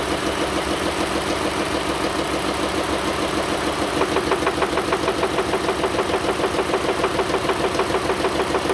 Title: engine noise